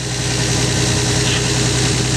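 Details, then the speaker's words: Lexus SC300 after replacing a fuel injector with a leaking seal, timing verified at 10 and spark plugs gapped at 44. Steady, even idle with a smooth low rumble and no misses; running healthy. "But she sounds good. Everything up front here seems like it's operating correctly."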